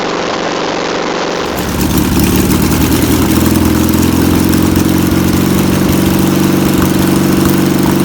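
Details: VW pressed-bumper-panel bus air-cooled flat-four, revived after sitting over 50 years, fuel pump suspected bad (rebuild kit on backorder): starter catches after a short crank and settles into a steady, even low idle; running normally.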